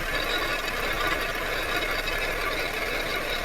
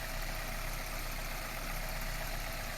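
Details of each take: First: Loose metallic clatter (hua-la) heard at the right half-shaft, left side silent, also with engagement shock when shifting into gear; transmission output flange holding the inner CV joint has separated from the gearbox housing. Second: Drivetrain running in gear after tightening the loose transmission flange bolts on the right half-shaft, where the flange had separated from the gearbox case; no engagement shock, steady even hum, and the earlier rattling from the chassis is gone, driveline healthy.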